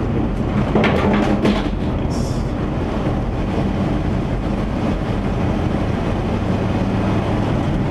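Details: 1977 Chevy van driving after exhaust repair: low, even rumble under road noise with no puffing, ticking or rasp; normal quiet exhaust while driving.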